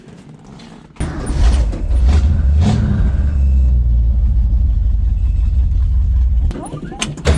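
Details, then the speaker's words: 1965 Mustang engine after restoration, restarted with 10W-40 oil and oil stabilizer added: engine catches and idles deep with a loose, irregular knock about three per second. This is an engine knock at idle. "oh yeah that's a knock you guys hear that"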